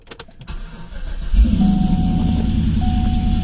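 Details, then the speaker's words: Cadillac CTS-V after popping sound, flashing check engine light and flashing traction control light, with a temporary fix to cylinders five and seven: starter whirrs briefly, then the engine settles into a steady, even idle with no stumble. "good feels good on the best part no hook scanner in feels good doesn't sound anything weird"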